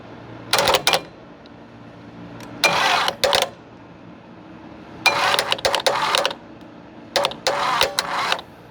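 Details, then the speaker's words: V8 Chevy engine in a Curtiss P6E replica biplane, unrun for 22 years, cranked by screwdriver across the solenoid. Short, weak cranking bursts barely turn it; jumper cables are suspected too thin to carry the roughly 400 A the starter needs. "I think all of this trouble is our jumper wires. The cable is just literally not big enough to send the amperage that it needs over that distance right there."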